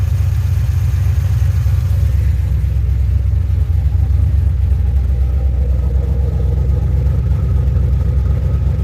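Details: 2007 GXP with Sloppy Stage 3 cam, VATS and DOD deleted via HP Tuners, first start-up idle after retightening loose front rockers: deep choppy lope about four lumps a second, no popping or ticking; loose-rocker popping fixed, healthy cam idle.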